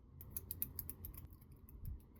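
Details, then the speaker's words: Katerk 1/4" bit holder carabiner: sharp, dry clicks about every fifth of a second as the screw gate nut turns; its threads skip over the carabiner's threads. "You hear that clicking? This thing skips threads. Like it's just the threads from the nut and the threads that are on the carabiner itself."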